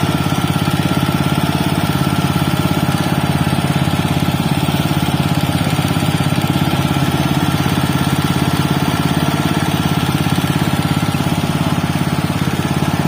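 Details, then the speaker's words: Robin Subaru EX21 7 HP 211 cc air-cooled four-stroke OHC single-cylinder horizontal-shaft engine, CDI ignition, not new: even, steady putter at constant speed with no knocks or misses, still very smooth; normal, healthy running. "Robin ex21 ya walaupun bukan dalam kondisi baru tapi terdengar suaranya itu masih sangat halus yah dibandingkan dengan yang lain"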